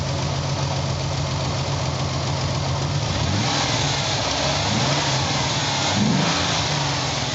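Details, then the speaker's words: 300k-mile Ford Bronco II after cleaning severely plugged fuel injectors (it had idled on 5 cylinders with rough idle and pulsing exhaust); exhaust now smooth, engine revs up cleanly and settles back without stumbling, throttle response restored. "let's go back and listen to the exhaust totally smooth that made a big difference if I can rev it up"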